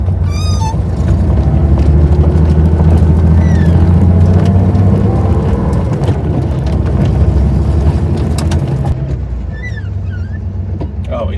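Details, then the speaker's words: 1970 Porsche 911T flat-six pulling through first gear after it had run out of fuel and was refilled: strong, even pull, revs climbing cleanly, no stumbling or misfire; normal running. "it's run so much better crazy how Gas makes a car run that much [Music] better"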